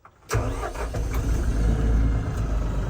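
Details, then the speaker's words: New LS MT357 compact tractor, power clutch cab version, diesel, started in neutral with clutch down, heard from cab: quick crank, catches immediately, settles into even low clatter at idle; easy start, relatively quiet inside. "So it starts really easy. Relatively quiet on the inside."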